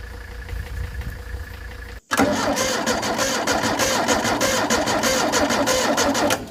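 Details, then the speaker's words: Ford Taunus 60-degree V4 in a 1970s Layton roller compactor, oil bath air cleaner refitted, gives a steady starter churn for about four seconds with no firing at all; cranks but won't start, no spark. "all right well you see that now I have no spark which is so stupid this thing never had that issue"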